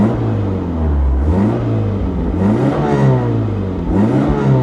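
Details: Pontiac Sunbird with about 104,000 miles, which hiccups slightly at idle that the owner thinks is set too low: engine pitch climbs and falls cleanly with each throttle blip, smooth, no knocks or rattles; normal revving.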